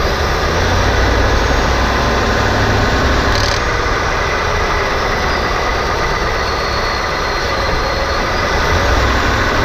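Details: 2018 Ford F-150 with a rattle since new, worst on cold starts, reproduced by gently adding throttle in 1st, 2nd or 3rd gear and lifting off: loose, uneven rattle and sharper clacks, suspected near the transmission, loudest in the engine compartment.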